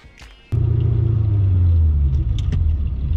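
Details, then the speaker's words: Supercharged SN95 with Coyote swap, built 4R70W automatic, Holley Terminator X Max ECU: sudden heavy thump as third gear engages, then low drivetrain rumble; harsh clunking shift, cause unknown, MLPS later found reading 0.00V in Park. "Take it back out. Same thing. Clunking in third gear. I still have that popping noise on the front passenger it's I still have that third gear clunk and I really don't know what it is."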